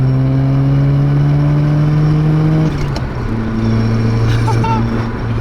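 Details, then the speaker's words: Mazda RX-7 FC3S with freshly rebuilt rotary engine during break-in, kept under 4,000 rpm; smooth, even rotary buzz at mid revs, easing off and picking up cleanly with no misses or knocks, running well. "guys I still cannot believe that this thing actually runs and it runs so well"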